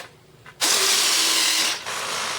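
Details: Airfield 1400mm T28 RC plane, landing gear retract tested on power analyzer, about 1 A draw with gear up, controls cutting out after 5 minutes, SBEC suspected; sudden strained buzzing whine about a second then easing; binding retract servo.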